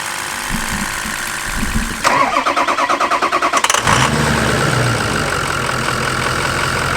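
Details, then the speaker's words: Truck cranking after fitting a new battery with higher cranking amps: quick, even cranking for under two seconds, then the engine fires and settles into a steady idle; cranks much better than before. "I really want to hear this thing cranked with these the new cranking amps oh wow that sounds so much better already"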